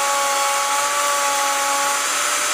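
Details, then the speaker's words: Vevor 5120 plunge router, 15 A, 3.2 hp, 3/4 in straight bit cutting an edge rabbet against the grain with chip-out: steady high whine with no dip or bogging; normal cutting under load. "this router doesn't notice it at all, it just plows right through. That was a pretty good job."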